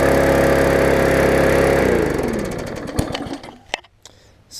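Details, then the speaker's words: Yard Machines mower after a tune-up (carb diaphragm, air filter, oil, bent auto-throttle fixed), slightly flooded and burning off fuel: steady four-stroke beat at governed speed, smooth wind-down at shutoff; runs normally. "was running it had a quite a bit of fuel to burn off there admit it a little bit of raw exhaust out there"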